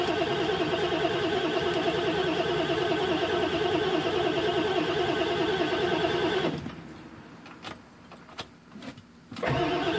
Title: Obs 7.3 crank no start